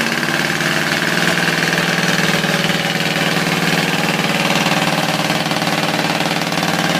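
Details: Ford 351W V8 with a spun rod bearing, run hard: rough running with a dull, regular knock beating under the exhaust at engine speed. Antifreeze mist is coming off the motor until it dies.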